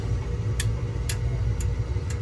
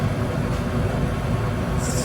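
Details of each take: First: Goodman gas furnace showing E2 error (low-fire pressure switch open), inducer Molex connector unplugged with voltage confirmed: sharp control-board relay clicks about every half second over a low hum, no inducer spin-up; inducer motor verified dead, later replaced along with pressure switch. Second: Goodman gas furnace, hot surface igniter lighting its two burners: low steady rumble as burners light and settle, no bang or delayed whoosh; clean, normal light-off.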